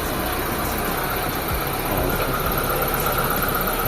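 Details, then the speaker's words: Mitsubishi Lancer revived after long storage, at idle. Very quiet, soft even hum with a faint hiss and no knocks or ticks. The fan is no longer running when the AC is off, and the noise near the AC pulley is gone. "Napakatahimik na ng makina niya mga boss. Ayan o. Wala nang nakarektang fan, wala nang umiikot kapag hindi naka-aircon na fan."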